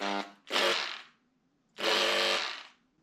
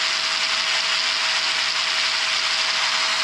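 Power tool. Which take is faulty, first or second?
first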